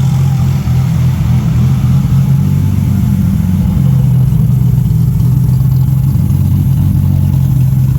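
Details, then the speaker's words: Freshly built forged Nissan RB30ET turbo six in an R31 wagon, first start with healthy oil pressure and fresh cooling system; quieter, steady, even low drone with no knocks or ticks, super responsive: normal running. "it's kind of quieter which is generally the sand of a happier [Music] motor she SS good but sounds real good and it's super responsive like straight away this is going to be sick"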